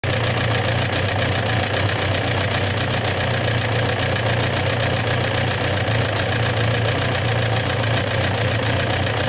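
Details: Suzuki GSX750S Katana: a fast, steady top-end ticking clatter at about four per second at idle, present since the day after hard revving. Rocker arms, camshaft and cam chain parts were replaced and tappets adjusted (0.07–0.15mm) with no change; cause unknown.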